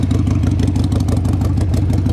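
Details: 2002 Harley-Davidson Sportster, cold, just after carburetor jet cleaning, fuel cooking off with smoke. Loping V-twin idle with quick uneven pulses and no knocking or rattling, a cold engine idling fine while it warms up.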